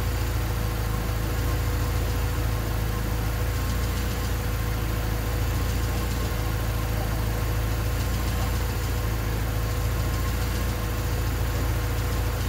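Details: Honda D16Y8 engine on P28 ECU, idle after new spark plug wires and cleaned IACV reinstalled: low uneven idle sags and stutters, revs won't settle, near stalling; wires and IACV made no difference, cause unknown.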